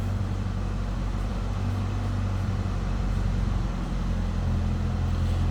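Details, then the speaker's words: 1978 Chevrolet Chevette hatchback, heard from the back of the car: even, unbroken low rumble at steady idle, no knocks or misses; sounds as expected, normal idle. "Slip around to the back so you can hear it run. I guess sounds as you'd expect."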